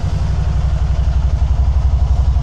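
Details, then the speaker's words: 2012 Can-Am Spyder RT-S SE5 after EVAP parts and oil change, idling to complete a heat cycle, scan tool connected, both O2 sensors good, charging about 13.8–14 V: even low pulsing idle, no ticks or rattles; normal idle. "I'm just letting her run in here. Let her get to a heat cycle."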